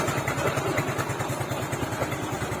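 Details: Scooter after repair of a worn crankshaft journal without engine teardown: steady, even low pulsing at a quick idle with no knocking or scraping, and the fan pulley is no longer noisy. Normal running.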